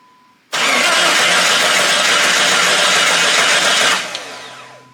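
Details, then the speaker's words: Jeep Grand Cherokee WJ with newly swapped 4.0 engine, first start in winter: steady starter whirr about 3.5 seconds, no firing, sounds like no fuel; fuel pump suspected, unconfirmed; cranks but won't start. "don't sound like it has gas all right no gas what it sounds like the fuel pump just sound uh very unrestricted I guess"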